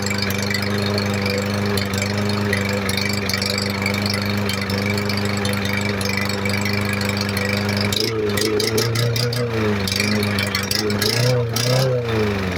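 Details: MTD 139cc OHV lawn mower engine, a trash find that had water in it and was thrown away, running after reassembly: steady, even idle with no surging or dying; normal running.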